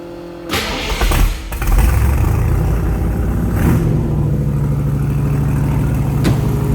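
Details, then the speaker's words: 1966 Shelby Cobra replica, 302 V8 with automatic transmission, just started cold and on high idle while warming up: steady deep fast idle with an even beat. Normal cold high idle. "That's the high idle. I'm going to let it come up in temperature here just a little bit, and we'll get it off the high idle so you can hear how nice this 302 rumbles."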